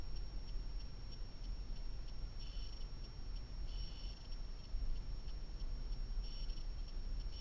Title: Blackvue DR750x -2ch lte plus humming noise